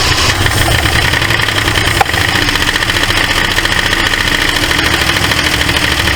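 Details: 1968 Ford LTD abandoned car, first start: engine popping back through the carburetor with a busy clattery tick on one bank; suspected stuck valve or lifter, or bent pushrod, valve cover to be pulled. Valvetrain tick.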